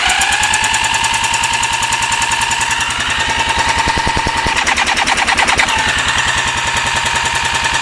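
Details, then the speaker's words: 1984 Honda 200S single cranked with choke, no throttle, after replacing carb, CDI, harness, coil and pulse generator, timing checked: fast, even chuffing about three beats a second, never catches; weak inconsistent spark suspected, possibly a worn intake valve. "So once again, if you're spinning that fast and you're not going to start, you're not going to start."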